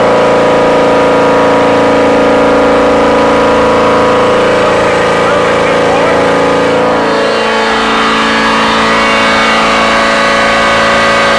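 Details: Volvo Penta boat engine going into limp mode: held at steady high revs with a strong whine, then the revs drop and settle; someone remarks that something seems to be hitting something.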